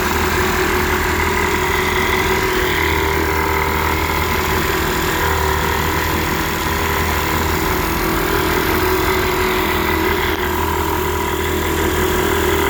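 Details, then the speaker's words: 1946 Elgin 1.25 hp air-cooled two-stroke outboard in a test tank, after cleaning a varnished tank, carburetor and fuel line, cleaning the points and adjusting the touchy carburetor: steady, even buzzing exhaust note with no misses or knocks; normal running. "it started up and seemed to run pretty good once I got the carburetor adjusted"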